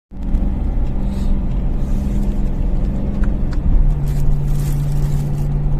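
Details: BMW M3 E93 V8 running with an uneven, stumbling, lumpy low rumble; the engine is misfiring.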